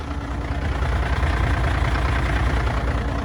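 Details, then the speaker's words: Truck diesel idling after the fix: the pulley's dust boot was cleaned up with a knife so it seats deeper, and the pulley was cleaned, bolted back and the belts refitted. A low, even rumble with no squeak; healthy. "Я взял шкиф почистил Установил его болты Закрути накинул ремни вот завёл Смотри как работает ай молодец"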